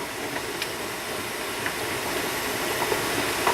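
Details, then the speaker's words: Presto pressure canner heating up while canning pulled pork, lid locked: steady soft hiss with small sputters as boiling starts and steam begins spitting from the vent; normal venting. "okay so the boiling started inside it's just starting to spit out the top of it"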